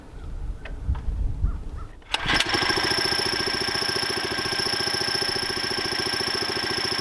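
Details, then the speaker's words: 79cc Predator engine on a homemade trommel with a newly installed centrifugal clutch: catches after a couple of pulls, then steady, even putter with no knocking; healthy idle, clutch disengaged and trommel staying still. "The motor's running, the trommel's staying put. Yep. I like it."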